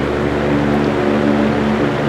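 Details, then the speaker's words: 1940 GE Vortalex 16-inch antique fan, heavy cast metal parts absorbing sound: smooth, even, soothing blade whoosh with steady low hum, no ticks, rubs or wobble; running clean and healthy. "The blade sets produce a very clean and very soothing whoosh. Very satisfying and very nice to say. Very nice to fall asleep to."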